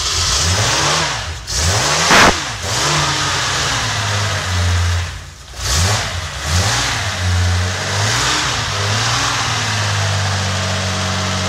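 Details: Rebuilt Nissan L28 six (chrome-moly rings, new bearings) in a 240Z, first fire-up: settles into a steady idle with a light quick ticking over it, showing tappet noise from loose valve clearance; oil pressure good, no smoke.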